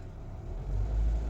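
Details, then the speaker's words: Mitsubishi Xpander Cross engine after 3.5 years / 35,000 km, stable idle RPM then throttle blips: deep even rumble swelling slightly, no knocks or roughness, quiet in cabin; smooth healthy engine. "Nah ini enak sekali, mesinnya masih enak, masih halus ya. Untuk dalam kabin pun suara mesinnya nggak kasar, nggak kedengeran, bahkan halus sekali ya, seperti itu."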